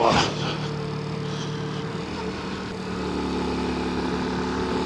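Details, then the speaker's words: 1986 Honda C90 on the road: one sharp exhaust backfire pop, then the steady hum of the engine under way. "Hear that? That was the Honda 90 backfiring again."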